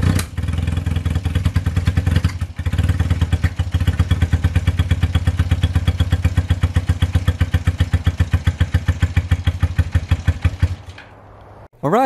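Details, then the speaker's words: 1978 Honda CB250 Twin after valve clearance adjustment: pops along in quick even beats with a brief stumble, then fades and dies; sputters when given throttle and won't rev cleanly. "it is not like to rev as you could hear in the video whenever I tried to give it a little bit of throttle it just sputtered and it wasn't happy"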